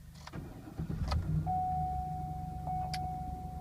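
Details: 2007 Cadillac Escalade ESV, 90,000 miles, after starter motor replacement (it had only clicked despite a good battery): a brief crank catches within about a second, then settles into a smooth, steady idle. The engine starts cleanly.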